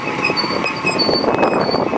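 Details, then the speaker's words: Car creeping slowly: a thin, intermittent brake squeal. Sand or stone wore a groove into the disc, leaving a ridge on the pad; filing the ridge stopped the squeal, and the disc needs machining. "Если хорошо прислушаться то можно услышать писк [аплодисменты] такой вот так вот свистят колодочки"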